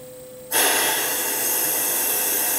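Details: Mitee Bite VM300 vacuum pallet system on a Tormach CNC mill, turned on to suck down a G10 sheet on an o-ring. After a quiet room, a steady even air hiss switches on and holds without surging: normal operation.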